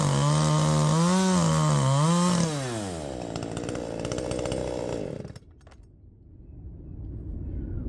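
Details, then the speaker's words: Poulan Pro 5020 chainsaw cutting at full throttle: revs waver, then the pitch sags and the engine cuts out deep in the cut; it bogs under load as if running out of fuel, cause not confirmed. "I don't know what's going on it's like it's running out of fuel it's exactly like it's running out of fuel so you know we're getting all down into the cut and stuff and then right here you hear it cutting out"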